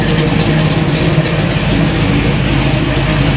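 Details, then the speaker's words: Freshly installed small-block V8 in 1967 Camaro, just tuned by engine builders after timing set: deep, even rumble idling around 770 rpm, slight lope, no knocks or misses; normal idle, builders suggest a bit more initial timing. "770. That's nice, eh? How's it sound? Oh, it sounds good."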